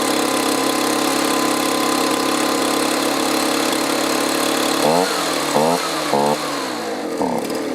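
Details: Two-stroke leaf blower stored over winter with fuel thought to be at least a year old, refilled with fresh mixed fuel, fuel filter missing: steady buzzing drone with surges and sags in short rev blips, running a little better but still uneven. Rough running, fuel problem suspected.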